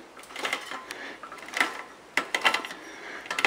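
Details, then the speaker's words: Custom bicycle build: sharp irregular pops and clicks, about one a second, as the crank turns; the chain is jumping because its line is misaligned. "Right now I'm having a problem with getting this chain lined up. You hear the noise when I do it. Hear that popping noise?"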